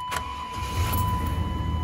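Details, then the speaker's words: 1998 Chevy Silverado 350 Vortec V8, 300,036 miles, after replacing worn, corroded distributor cap and rotor that caused crank-no-start: short crank, catches quickly and settles into an even low idle; clean normal start. "starts right up now before it would just crank and crank and crank and crank and crank never start"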